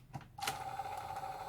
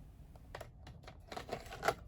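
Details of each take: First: Sanyo VTC-H5 (VCR-7300) portable Beta Hi-Fi VCR during repair, tested before refitting the case: a click as the cassette seats, then a smooth, even motor whir as the tape loads; the tape mechanism works normally. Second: Sanyo VTC-H5 portable Beta Hi-Fi VCR: the cassette door clicks shut, then the motor hums steadily, but Play, FF and Rewind do nothing and only Eject works; bad belts suspected.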